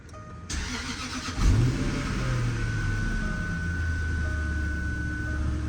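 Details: Jaguar XF 4.2L after thermostat housing replacement, coolant refilled and battery reconnected: the starter whirs briefly, then the engine catches and settles into a steady low idle with a faint whine. Clean, normal start.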